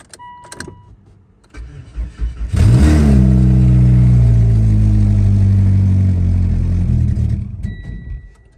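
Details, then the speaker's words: 2016 Mitsubishi Lancer, engine just installed after the car sat 3 years; it cranks, catches, flares, then settles to a loud raw blatty idle drone because the exhaust is not connected to the engine. "The exhaust is not on. The reason it sounds loud because the exhaust does."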